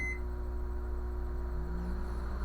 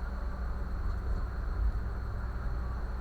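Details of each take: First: Brastemp microwave, after a short start beep, runs with a loud steady low buzz on switch-on; current to the magnetron measured normal, buzzing blamed on a failing magnetron. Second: Brastemp microwave running normally with a cup of water inside, a steady low hum and smooth even whir with no buzzing. Its noise on startup was traced to a suspected internal fault or short in the magnetron, and the problem is now resolved.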